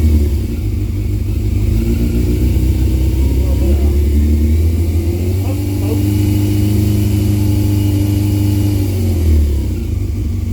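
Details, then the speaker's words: Yamaha YZF600R (Thundercat) after refitting headers (one broken stud replaced with an M7 bolt): deep, even exhaust note climbing and settling cleanly through several revs, no ticking or puffing at header, a little smoke; sealed, normal running. "thank you a little bit of smoking smoke to it"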